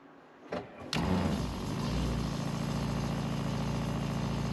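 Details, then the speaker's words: RV water pump after installing a controller module: switches on after a second and settles into a steady, even low hum with no surging; flow now smooth, no more pulsating. "It's It's like better than being hooked up to the city water. Nice and streamy. No more pulsating."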